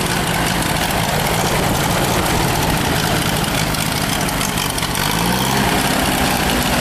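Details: Ford 3.1L 192 industrial four-cylinder gas engine from Ditch Witch R65, choke slightly on, 40-50 psi oil pressure, minor blow-by: loud, even idle, steady beat, no knocks or misses; normal idle.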